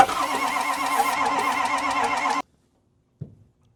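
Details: Ford 6.0 Powerstroke diesel that doesn't run, builds high-pressure oil: fast wheezing crank on a spare starter with ether and weak batteries, no firing. Oil then found pouring from the crankcase breather.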